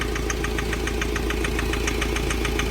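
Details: Mahindra Scorpio mHawk diesel engine at idle: sharp, even tk-tk knocking about seven per second over steady idle after work by two mechanics; firing equal on cylinders 1–3, sound changes with EGR valve and boost.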